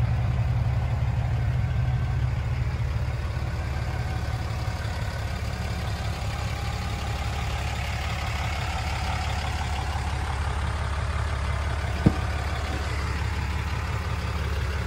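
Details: 2007 Dodge Ram 3500 4x4, 6.7 Cummins diesel, 68,000 miles, six-speed automatic, fully serviced: low even diesel rumble with a steady beat, no knocks or misses; very quiet, normal healthy idle.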